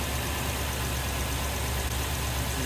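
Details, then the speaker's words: 2003 Toyota Tundra 4.7 2UZ-FE V8 after snapped timing belt replaced, with water pump, oil cooler gasket and oil change: good oil pressure, steady even idle with no misses, ticks or knocks while bleeding coolant; normal idle. "Oil pressure is good. It sounds perfect. Let it run for a while to get this coolant fl. Damn. Sounds really good."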